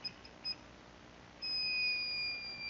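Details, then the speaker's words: Emphaser EA2500D car audio amplifier repair: multimeter continuity check from relay output to the other point, faint chirps then a steady one-second high beep; continuity confirmed. "Et là il y a la continuité. Donc c'est comme si je mettais à la sortie du relais ici et que j'arrivais ici"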